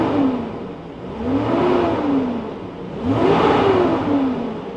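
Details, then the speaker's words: Flood-damaged Lexus LS430 V8 revved twice while checked for rod knock; note climbs and falls cleanly with no tapping or knocking; normal engine rev. "there's no knocking no knocking at all"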